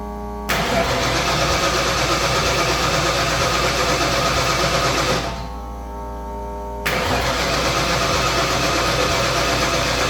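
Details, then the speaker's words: 1989 Ford Fox Body carbureted V8 race car, start attempt after a couple of throttle pumps with timing set: cranks, catches, roars briefly, sags, refires unevenly and never settles to idle; fires but seems fuel-starved, owner suspects a fuel issue. "it still seems like a fuel issue we're getting actual fire over it just sounds like it doesn't have enough fuel"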